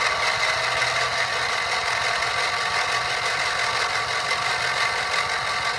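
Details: Briggs & Stratton 670cc vertical-shaft engine on a go-kart, sat a long time: starter spins it with spark plugs removed, steady high whir, no compression pulses, a short burst to circulate oil and free it up before refitting plugs.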